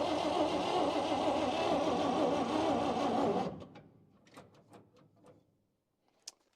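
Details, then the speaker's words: 1953 Chevy 3100 truck, 235 six-cylinder, after sitting for years, fuel shot in the carburetor: steady cranking that never catches, no spark from the ignition points, which may be past their useful life. "so tested the points again and we got nothing so I wonder if these points are just maybe pass their useful Life"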